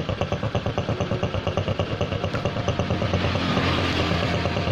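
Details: Honda Supra X125 after repair, idle now even and smooth with a regular putter, no snoring or rasping; the earlier snoring came from a head breather hose cracked at the clamp, disturbing the membrane vacuum, and the hose was fixed.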